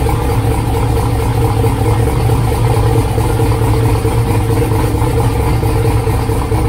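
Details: 2000 Camaro V8 with newly wired Holley Dominator EFI, just started: loud, lumpy, uneven low rumble with a slight stumble; running rich, needs idle tuning and fuel map work.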